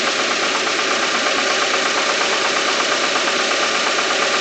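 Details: Engine on RON95 fuel with NGK Iridium spark plugs: harsh, hissy running noise with a faint rapid knock of roughly 85 a minute; owner unsure whether an IAFM problem or engine knocking, source not pinned down.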